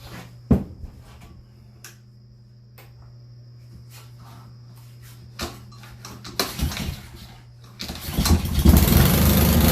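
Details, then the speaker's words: Honda 190 pressure washer engine intended for a go-kart, cranked with old gas, clean-looking valve cover; clicks and handling, then engine catches near end and settles into even idle, sounds healthy; normal start and idle. "We're gonna stick this back on and we're gonna give her a crank. Got old gas in it, so we're gonna see what happens with that."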